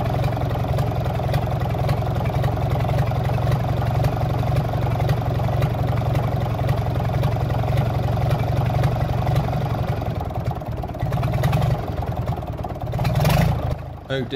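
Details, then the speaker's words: Gardner 6LXB diesel from a 1972 Atkinson Borderer, nearly a million miles, running before overhaul: slow, uneven idle with a rough low rumble; oil pressure slow to rise and low, cause to be found at teardown. "the oil pressure takes a very long time to come up and is a bit low when it does normally the oil pressure would come up within a few seconds of starting"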